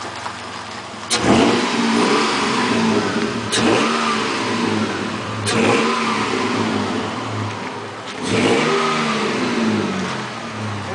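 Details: 1999 Toyota Tacoma after a Sea Foam treatment (3rd of 3) revving up and down with a light ticking knock under the rising pitch; it no longer clunks into gear like before.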